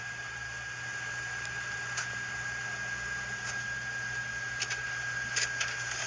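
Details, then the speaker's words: Sharp MX-4100 inner finisher (MX-FNX9) after lubing its shafts and bushings to cure a loud squeak: it runs nice and quiet, with a low steady hum, a few soft clicks and no squeak. "and there it is nice and quiet all right thanks guys"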